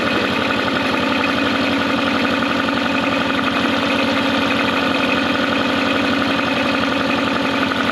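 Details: Mercury 9.9 hp two-stroke outboard, believed early-90s, short shaft, after years sitting, upgraded carb and plugs, idling in gear in a test tank: even, steady idle, a touch high, no misses or stumbles, running cleanly.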